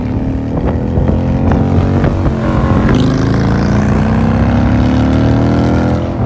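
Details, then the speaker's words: 2001 Honda Shadow VT750 after carb rebuild, airbox still off: it catches into an even lope and revs cleanly on a ride, though popping off idle suggests it runs lean. "but we're going to go ride it now that it should be running right."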